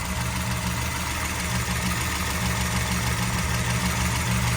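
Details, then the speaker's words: 1987 Firebird Formula, 350 with 383 stroker, rebuilt, headers: steady V8 idle with light uneven tapping about three per second; owner has no idea of the cause, motor to be pulled. "not a clue a lot of tapping over here [Applause] the noise is back in here i have no idea what it is"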